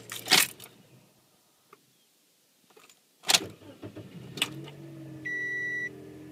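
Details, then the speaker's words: Small capacitor boost pack wired directly to the car's battery terminals, charged back to 14 volts, starts the car easily with no hesitation: a few clicks and clunks, short crank catching straight into steady idle, door chime beeping after. "charged right back up to 14 volts and it it started this car with no problem."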